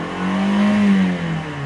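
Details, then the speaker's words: 2018 Toyota Camry at salvage yard, 39,537 miles: quick rev blip, engine note rises smoothly and settles back without roughness or stumbling; runs clean, normal revving. "Runs clean. Sounds good when you rev it up."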